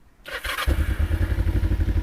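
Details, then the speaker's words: 2007 Kawasaki Ninja 500R starting after final carb cleaning with floats back on and new needles. Brief crank, then the twin catches at once and settles into an even, steady idle; a clean start, with no warm-up needed. "how about that that's how you know your carbs are in good shape and you were doing the right thing because it just cranks right on up"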